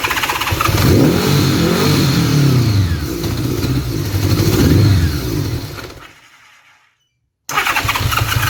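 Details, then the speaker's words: Honda Gold Wing motorcycle running on one carburetor, with an electric fuel pump bypassing the mechanical pump for diagnosis; uneven clunking and banging as it runs fuel-starved, then dies away. Exhaust leak also suspected. "you'll hear it clunking and banging around it's kind of running on whatever fuel it sort of half gets yeah you're you'll hear it making some noise it's running on one carburetor"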